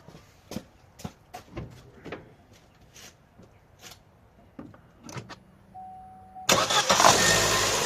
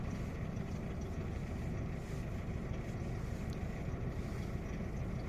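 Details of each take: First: Opel/Vauxhall Astra J 1.4 after replacing spark plug and ignition coil for a cylinder 1 misfire: ticking and clicking, short crank, then catches and settles straight into a steady, even idle; starts and runs fine. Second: Opel/Vauxhall Astra J 1.4 with check engine light, shaking: low, uneven idle rumble with occasional soft stumble; scanner shows misfire count rising on cylinder 1, zero on cylinders 2–4; single ignition coil unit.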